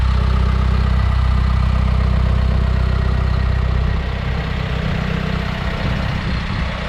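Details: 2019 Isuzu FTR box truck with 26 ft Morgan aluminum box, cab tilted forward, engine started for walk-around: deep, steady diesel idle with even low throb about 2.5 beats a second, no knocks or misses; normal.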